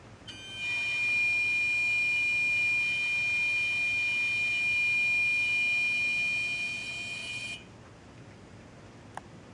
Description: Strange noise coming from the engine compartment, two longer instances of the sound in this video. This was 2 hours after I parked it in the garage.